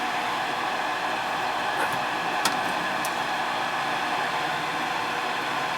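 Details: Ruud gas furnace in heat mode that runs but won't fire up: steady whooshing inducer fan hum, vacuum switch pulling in, no ignition click or burner roar; tech suspects board or gas valve, finding is an open gas valve coil.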